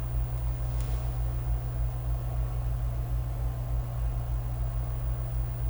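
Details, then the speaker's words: Amaran 60x S COB video light, smart fan mode set as low as 10 with no change in sound: steady, even low hum with a soft airy hiss; fan noise comes equally from front and rear; normal cooling fan running. "And it's the same. The fan noise on the 60XS emits from the front of the light and the rear equally, so you really can't escape the fan noise."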